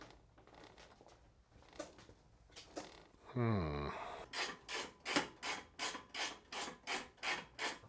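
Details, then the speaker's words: 2012 Harley-Davidson Dyna Street Bob, rear jacked and wheel rolled: rhythmic rasping rub about three strokes a second tracking wheel turns; chain fine, kickstand is rubbing. "Chain's not moving at all like it's rubbing on anything you know I can feel it on the T oh it's the kickstand it's hitting the kickstand"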